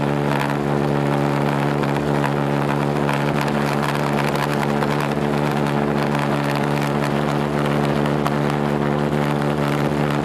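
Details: Homemade pulsejet on its third run attempt, with a new ignition circuit (new coil, HT lead, fixed condenser) and a tuned fuel rail: a loud steady droning buzz holding one deep pitch for ten seconds without sputtering; running on its own.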